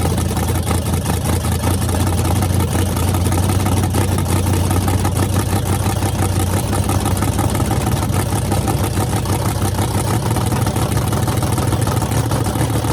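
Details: Freshly rebuilt small block Chevy 350 (355) on a run stand, restarted after refuelling, open headers, temps about 107 front, 76 back, plenum 69°: loud, deep, even rumble, steady beat, no misfires or tapping; runs great.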